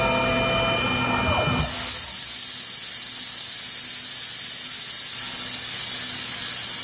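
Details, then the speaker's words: CNC milling an RMR optic cut in a Glock 21 slide, rerun of same-depth cleanup code as a spring pass: sustained high cutting squeal where no stock should be removed; tool deflection makes spring pass still cut material. "Yeah, and I can hear that taking material."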